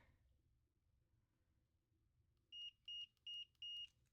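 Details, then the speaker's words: Nintendo DSi XL new volume buttons tested with a multimeter on continuity before installing: four clean high-pitched chirps as contacts close; both buttons good. "That one's good. That one's good. both chirped at me when I was pressing the buttons."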